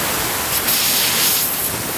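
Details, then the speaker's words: Stripped-down Umarex Legends Cowboy Rifle (Winchester Model 1894 replica) with a CO2 cylinder fitted: a steady, airy, rhythmless hiss of gas escaping around the actuating valve; owner suspects the valve's black O-ring is leaking. "yeah I don't know whether you can hear that but it's coming out around there"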